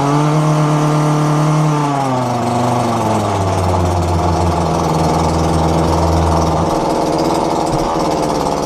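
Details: Dumped McCulloch two-stroke strimmer after fuel line replacement: the pull start fires it, it revs briefly high, then settles to a steady, even idle with no misses or surging. It runs healthy.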